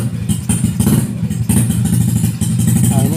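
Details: Yamaha Jupiter/Vega/Crypton small single after repairing the clutch housing parts (kampas ganda, mangkok ganda): idles steadily in first gear with a low even putter. It no longer jumps and stalls; normal idle in gear.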